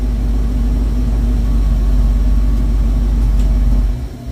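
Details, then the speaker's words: 1972 Mach 1 Mustang V8 with stock cam, restarted after running earlier (not quite cold), coolant topped up: deep, even idle rumble with steady beat, then shut off; smooth, healthy running. "You can hear again how boring it is with the stock cam, but man, does it ever run nice."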